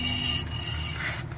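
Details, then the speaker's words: 2015 Toyota Corolla rear brake after caliper replacement: a thin high-pitched metallic squeal as the wheel turns, from a pad clip not seated properly and rubbing the rotor; fixed by prying it into its seat. "See, if I would have left it alone, it would have made this squealing noise."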